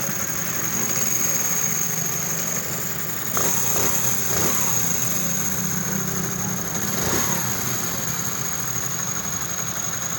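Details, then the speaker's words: Honda CD 70 motorcycle after timing chain replacement to fix chain noise: even, quick putter with constant high whistle, no chain rattle or tapping; sound now fully fixed, idling normally. "तो दोस्तों, इसका sound बिल्कुल 100% ठीक हो चुका है इंशाल्लाह।"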